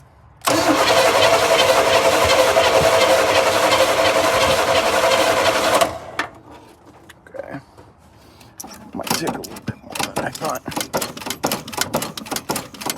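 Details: 1980 GMC Sierra Classic with a new battery, fuel poured in to prime the carburetor bowl: about five seconds of steady cranking without catching, then it cuts and scattered pops follow; a reluctant start.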